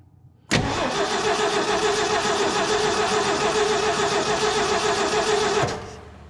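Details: 1968 Ford F100, 240 cubic inch inline six, parked about 20 years: starter cranks the engine evenly, about three and a half beats a second, but it never fires despite spark after cleaning the points; cause unconfirmed.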